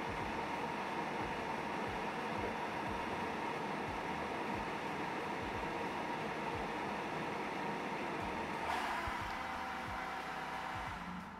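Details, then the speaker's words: Creality K1 side cooling fan with a muffler: even airy whoosh at a muffled, lowered pitch, about 63–64 dB, airflow 3.8 m/s; fan running steadily and normally. "overall we're down to about 63 DB 63 64 [Applause] maybe and again it's blocking most of the frequencies but a bit higher as well"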